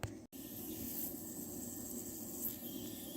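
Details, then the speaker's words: CompAir mobile diesel compressor radiator, pumped up with air during repair: a faint steady hiss with no rhythm as air escapes through a crack in a groove of the radiator core; solder repair planned. "yeah our crack is right down in this groove here you can even hear it I put my fingernail in there"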